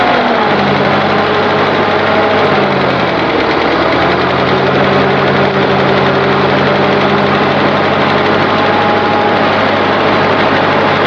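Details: Continental F124 flathead on propane from a fire-damaged 1952 Carloader forklift, first run: loud, steady low rumble settling once it catches, smooth idle with no knocking or missing, little smoke; normal idle.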